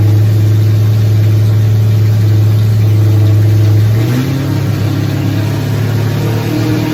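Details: Nova race car engine, first fire-up in 38 years after priming fuel system, timing being set: steady, even low idle lifting smoothly around four seconds, no knocks or misses; healthy, but coolant leaks found at water neck housing.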